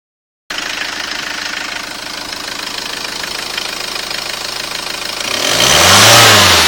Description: Strange whine from HDi engine....no it's not a supercharger!